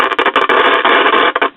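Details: 1965 GE AM tube AA5 clock radio: harsh crackling static bursts drop in and out as the dial turns; an intermittent tuning-capacitor short causes a dead spot around 750–900 kc; not yet repaired.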